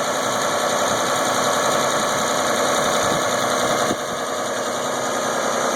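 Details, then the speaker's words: 2001 Isuzu Rodeo at startup before EGR valve cleaning, check engine light on for insufficient EGR flow, idle slightly high with an uneven, lumpy pulse around three to four beats a second; rough idle, owner suspects the clogged EGR valve. "it something just doesn't sound quite right I'm hoping pling EGR is going to take care of all that"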